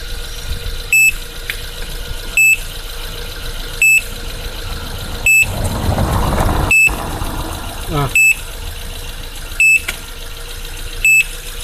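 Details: Suzuki Splash after a dead battery: ten sharp high beeps about 1.5 seconds apart repeat over the running petrol engine, persisting even with the battery disconnected while running.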